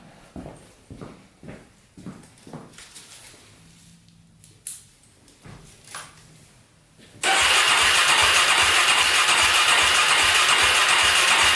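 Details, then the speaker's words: Polaris Predator 500cc quad, first start attempt after work on low compression, carburetor on, spark and fuel present: scattered clicks then steady fast churning crank about four beats a second, never catches; crank no start. "all right guys second attempt first attempt did not go let's put some more gas on the carburetor try this again"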